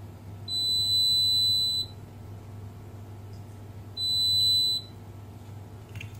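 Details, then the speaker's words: Beko WMB71033S washing machine control board: multimeter gives long continuity beeps on the isolated DC VCC supply line near capacitor C3, showing a short traced to the failed ATmega64A processor. "Tôi đã cách ly khu vực này từ đây vẫn có hiện tượng đoản mạch giống điện áp dương chạm tới dây nối này ở đây là tụ C3."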